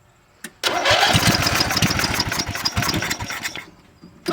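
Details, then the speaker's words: Junkyard Simplicity SunRunner mower after a new ignition switch and cleaned PTO interlock switch contacts, choked: the engine cranks briefly, catches and settles into a fast, slightly uneven run; starts and runs well. "that's a good sign seems to run pretty good"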